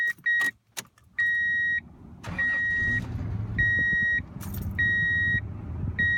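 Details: 2002 Toyota Tundra 3.4 L V6 after tightening the belt, owner complained of squeal on cold morning start: engine starts and settles into a low even idle with no belt squeal, under a repeating warning chime.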